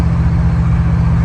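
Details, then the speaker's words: 1968 Ford F100 with a 1993 F-150 Lightning 351 fuel-injected V8 and overdrive transmission, earlier fuel-starved on the left side: steady cruise at about 65 mph, deep even drone with no popping, misses or smoke; running smooth. "we're running about 65 right now seems to be good and smooth it's not popped didn't do any smoking"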